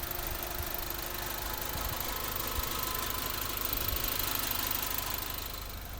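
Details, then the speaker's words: 2005 Mitsubishi Lancer Ralliart, 5-speed manual, about 52k miles, stock apart from an exhaust tip: soft, even idle with a light steady patter and no knocks or misses; a very quiet car. "it's a really quiet car I put a tip on it I don't think it really makes it sound any better"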